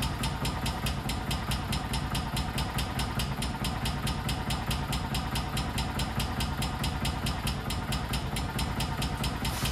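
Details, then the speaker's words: 1999 or 2000 Kawasaki Mule 550, barn-stored about a decade and not run for 2-3 years, idling on half choke: a steady, evenly spaced light tapping; upper-end knock suspected, and it went away when throttle was added. "be honest, that kind of sounds like a knock from the upper end."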